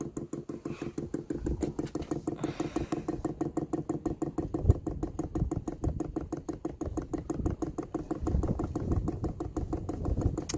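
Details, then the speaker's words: 12V 5kW diesel heater dosing pump priming via the control panel, filling the filter; rapid even ticking in a steady beat, normal pump operation. "Oh, there it goes. It's going up. Up, up, up, up. It's filling the filter."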